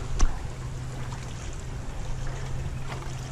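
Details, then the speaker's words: Corroded single-phase electric boat lift motor, pole-mounted, lowering: steady low mains hum with no spin-up; energized but stalled because the start capacitor is dead. "you can hear this hummed which means electricity is getting to it and the reason it's humming is it can't start"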